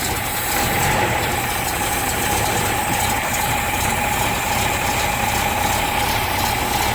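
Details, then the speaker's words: Toyota FJ40 Land Cruiser carbureted engine, sat for a while, just started cold: steady raised fast idle with no hunting, because the choke linkage is stuck on; it idles normally once the choke is off. "It's alive! Choke's still on. I'm going to ease it off now. Alright, linkage is stuck."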